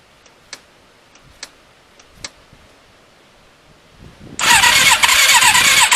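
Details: Thunderace motorcycle, stone cold, fuel primed: a few faint ticks, then a harsh, even starter whirr for two seconds with no firing; cranks but won't start, owner thinks the battery is going flat.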